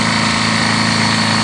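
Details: Honda GL1100 engine with oil pressure drop: short idle with an even low knock pulsing beneath the engine note; suspected rod knock.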